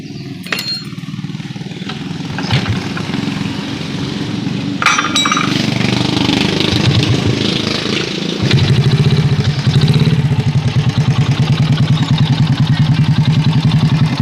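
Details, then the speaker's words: Honda Supra Pit X single-cylinder, brought in for a tik-tik noise, after valve adjustment; steady, even putter with only a faint light tick up top, harshness much reduced and the valve train now smooth. "kita dengarkan sama-sama suara yang terlalu kasar di bagian atas tadi sudah jauh berkurang dari sebelumnya hanya saja sini setelah di bagian atas terasa halus"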